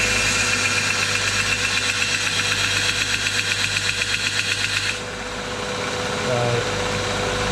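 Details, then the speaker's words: Homemade belt sander, quiet at first, develops a steady knock about four times a second while running that stops when it goes quiet. The owner blames the belts and will replace them. "But as you can just see, that noise drives me nuts. So I can't handle that noise much at all. So it's going to get new belts."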